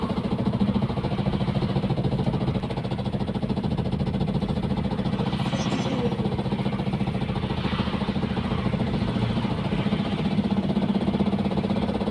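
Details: Diesel engine with hard, rapid metallic knocking; noise began while driving, then engine stalled and would not crank, car towed in; internal engine damage caused by glow plug failure.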